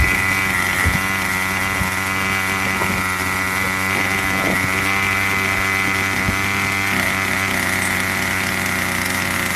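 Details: Craftsman 25cc two-stroke string trimmer, found roadside and would only fire on starter fluid, after a carburetor tune: high steady buzzing note at constant pitch, no stumbles or surging; running properly.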